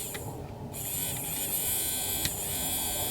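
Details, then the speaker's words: Hornby Jouef Eurostar power car 3211 model locomotive, power bogie only picking up current: smooth, high-pitched, even motor whir with no stutter or grinding; the motor runs normally. "you can see the motor running"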